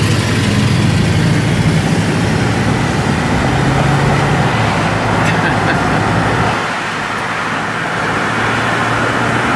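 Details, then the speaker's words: Vehicle bought four months ago and driven daily, running outdoors in need of exhaust work. A loose, puffing chuff about four times a second over street noise; exhaust leak. "It got an exhaust leak. Sounds good."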